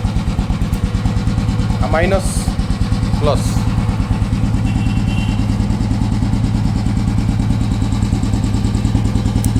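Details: Royal Enfield Himalayan single-cylinder after its dead battery was jump-started with wires from an old Bullet (a recurring problem): slow, even thumping beat, steady and unbroken throughout; a healthy, settled idle.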